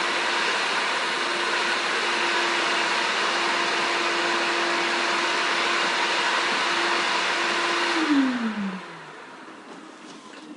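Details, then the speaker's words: Ten-year-old 5-gallon canister shop vac with 16-foot hose and corded Kenmore power head, true-horsepower motor, before switch replacement: steady high rushing hum of constant tone, pitch dropping smoothly at shutoff, no battery noise; normal running. "as you can hear it doesn't have any battery noise or anything when I shut it off there she is the shop vac 40 gallon with upper head"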